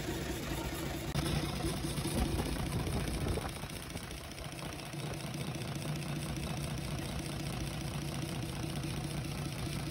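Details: UD Nissan PKD 411 truck, six-cylinder NE6 diesel, started after work on the intake chuk-chuk noise, tappet cover off to check oil flow: low, steady, knock-free idle clatter; engine running normally.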